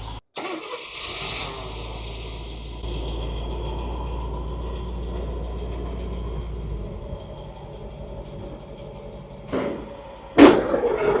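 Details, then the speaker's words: 1972 Mercedes 280SE 4.5 V8 with D-Jetronic fuel injection, first start after storage since 2011, using starting fluid with the fuel system empty: short crank, then it catches cleanly and settles to a steady, even idle, no knocks or misses; normal start. "All right, give it a crank. Woohoo! Not bad. Coming out of storage since 2011."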